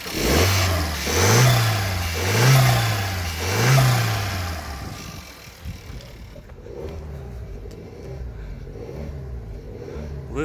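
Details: Used contract 2016 Skoda Octavia A7 1.4 16V turbo CZDA engine, 45,715 miles, compression within spec, no oil emulsion; three smooth throttle blips rise and settle, then steady even idle with no ticking or rattle: healthy engine.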